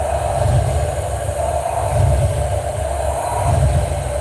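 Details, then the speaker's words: Ford F150 at first start after a valve cover job, with a new EGR tube fitted to cure a vacuum leak: low, uneven idle hunting every 1.5 seconds; the idle-up screw is bent and needs adjustment; rough idle, cause unconfirmed. "But I did fix that vacuum leak, so it's probably why it's idling like it."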